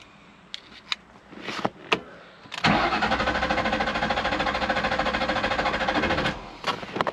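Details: 1998 Ford Mustang, about 122,000 miles, not started for a year: starter cranks at a steady even beat about four seconds but never catches; theft light flashes, no keys registered, anti-theft immobilizer blocking start.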